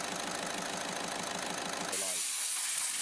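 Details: Volkswagen diesel van that had been cutting out and stalling with a P0190 code: even diesel chatter at about three pulses a second under a hiss, then it cuts off; runs steadily with no stumble.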